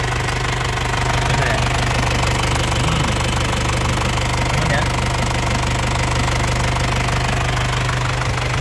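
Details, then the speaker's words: 1998 Isuzu Panther Grand Royal diesel, 27 years old, new battery, started first crank: steady crisp diesel clatter about three beats a second, even, no misses or odd knocks; normal diesel idle. "Ini suaranya renyah. Ya, suara nyernah khas penter enak di telinga, tidak ada suara yang aneh. Terus mesinnya juga tenang, tidak oblak ya, tidak pincang mesinnya."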